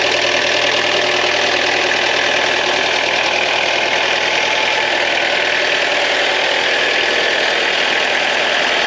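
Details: Ex-French Army Peugeot P4 (shares parts with the military G-Wagon) diesel idling just after its first start in probably 10 years, following preheating: an even clatter at about three beats a second with no misses or knocks. A healthy idle.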